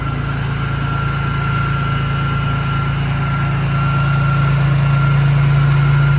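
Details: BMW E46 M3 S54 engine after Vanos rebuild, exhaust sprocket and oil pump disc: even steady idle about four beats a second with faint constant whine on top; settles and idles cleanly.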